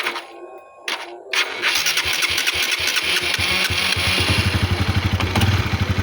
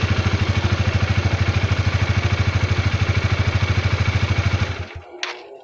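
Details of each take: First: Honda CB150R motorcycle after starter motor (dinamo) repair and lubrication, starting on a weak, worn-out used battery: starter turns over sluggishly before the engine catches and idles evenly; slow cranking from the weak battery. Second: Honda CB150R motorcycle after its jammed starter motor was repaired, starting on a weak used battery: the engine catches and settles into a steady, even idle thump of about 2.5 beats a second with no misses, then a clean shutdown. Normal.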